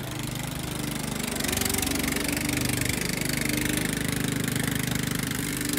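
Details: Restored Jacobsen Chief 800, after refitting the deck belt that had come off: small single-cylinder petrol engine pulling its mower deck with a steady even beat, no knocks or surging; healthy.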